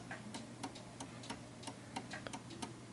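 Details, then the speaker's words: 1930s 8-day striking oak-case Enfield mantel clock before beat adjustment: steady ticking about three per second, but the tick and tock gaps are uneven. The pendulum swing is off center, so the clock is out of beat. "that the tick-tock is a little bit off."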